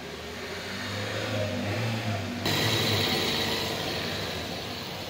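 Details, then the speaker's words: Toyota Prius hybrid petrol engine after tappet repair, running steadily and smoothly with no misfire, knocking or rattling; before the repair it had cold-start misfiring, poor load-taking and noise. "गाड़ी start हो गई अभी कोई miss firing का issue नहीं बिल्कुल smooth कोई आवाज नहीं गैर"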